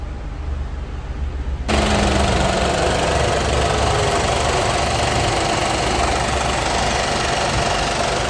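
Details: Water-damaged Nissan Magnite that would not start, after replacing the faulty HDM (airbag/bag module) and clearing the fault: the engine catches cleanly and settles into a steady, even idle with no misses or knocks.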